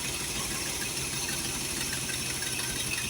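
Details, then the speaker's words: Holley 4412 carburetor after rebuild with homemade gaskets, throttle cable left off: even, steady idle with constant rhythm and no misses or stumbling, exhaust leak still unfixed, no fuel leaks seen; normal idle. "all right man we ever get that exhaust leak fix this thing will sound good if it stays running like this so yeah I don't see no fuel leaks I don't hear no leaks sounds pretty good"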